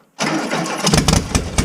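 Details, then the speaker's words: 1974 VW Bug after the timing and firing order were sorted: short crank, then it catches and settles into a quick, even idle with every cylinder firing; normal start. Owner suspects the wrong distributor. "Yeah! We fucking did it! It started. Every cylinder went."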